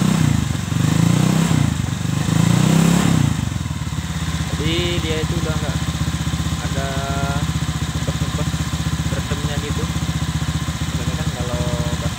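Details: Honda Vario 125 (old model) stock CLD racing-style exhaust, before the glasswool packing is replaced: a few sharp revs, then a thin, rattly idle without deep bass; worn silencer packing.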